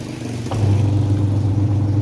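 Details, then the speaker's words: Sanyo Aqua Magic washing machine that would not spin, after replacing the capacitor: low steady hum starts after half a second and holds as the wash motor turns freely back and forth, sounding healthy. "dan bisa berputar bolak-balik ini berenti kerusakan untuk mesin pencuci hanya di bagian kapasitor yang kawan-kawan setelah kita lakukan penggantian kapasitor Alhamdulillah hasilnya mantap"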